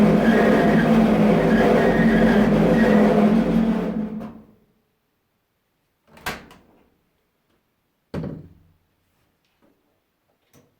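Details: Samsung dryer runs with a loud, steady deep rumble and faint squeaks from worn drum rollers; the rollers, tensioner and belt were removed and reinstalled to fix it.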